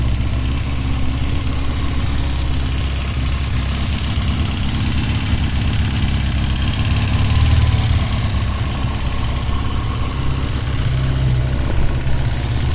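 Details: Honda CBX 550 F at steady idle: fast, light ticking over a low rumble, an unexplained mechanical noise coming mainly from the engine's right side (as seated on the saddle).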